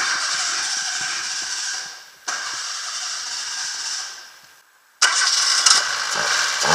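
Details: Citroën Saxo TU engine run with washing-up liquid instead of oil: cranks, catches and revs cleanly with no knocking or rattling, then settles into steady running.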